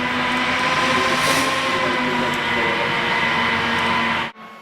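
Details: Four DC fans, thermostatically controlled by a remote thermistor above a 120 W bulb, started on high in a smart switched power distribution unit demo box; steady loud airy rush with even hum, no rattle or ticking, then stop; healthy.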